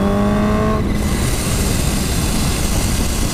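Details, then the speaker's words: Supercharged Kawasaki H2 on road test with newly fitted Turbosmart blow-off valve: engine note drops off throttle, then a bright airy hiss as trapped boost vents on throttle close; blow-off valve working normally. "you hear that it now hisses at me the bike now hisses at me listen to that that is the pressure because this is supercharged"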